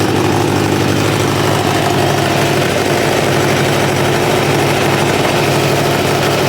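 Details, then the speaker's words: 1986 Kawasaki Ninja 600R four-cylinder with a coolant leak, idling while it warms: steady, even, smooth idle with no knocks or misfires. It runs nicely. "Sounds good. That's nice. No running problem. It's actually seems to run pretty nice."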